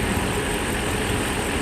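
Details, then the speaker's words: Mercedes S500 V8 started for the first time after timing chain and guide replacement, after the dry fuel system was primed: smooth, steady idle with an even low rumble and no stumble. "probably injector had some air in it right now since it's been running for a while wholesome does run run just right now the"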